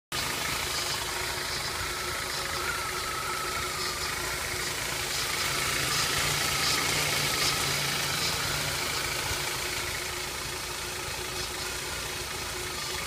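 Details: BMW E46 316i with M43 engine at idle; light, fairly regular ticking about three or four per second above a quiet idle, unexplained top-end ticking noise.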